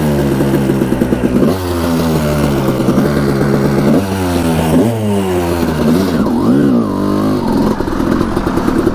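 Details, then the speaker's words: 1989 Honda CR250 two-stroke dirt bike, long sitting, ridden on icy cold ground: it starts right up, but revs climb slowly and sag repeatedly as it pulls, really boggy; owner unsure whether the power valves are opening or it needs clearing out. "the bike's really boggy right now too so it feels like we gotta clear it out I don't know if the power bulbs are an opening or what it starts right up but it's just really boggy"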